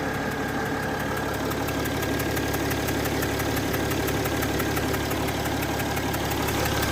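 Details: Mercedes ML350 W164 that had its engine radiator fan always running on full blast and ACC not working, after repair: steady, even idle with light regular ticking and the AC on, no fan roar as the fan no longer runs; normal idle.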